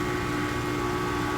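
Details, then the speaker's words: Heat pump outdoor unit after repair restored 26 volts to the reversing valve, running in air conditioning mode: even, constant hum with steady low drone and fan rush, no rattles or surging; too cold to check refrigerant pressures; cooling normally. "Okay, so now that we had fixed this issue, we got 26 volts to the reversing valve. It's running in air conditioning mode."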